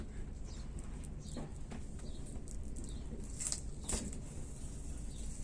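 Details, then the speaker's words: Faint crackling and popping, like frying bacon, under a squeegee pass over wet polyester fibreglass laminate on a hull repair, from trapped air bubbles; consolidated areas make no noise. "Oh yeah, that was a good one. You can hear that crackling noise."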